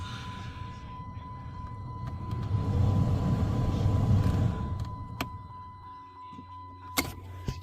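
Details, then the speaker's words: Dodge climate control blend door actuator after recalibration to fix the ticking caused by uncalibrated actuators: smooth low motor whir swelling and fading as the door closes, with no ticking. "you can hear it making noises as it closes it's not ticking so I'm pretty sure that I I fixed it"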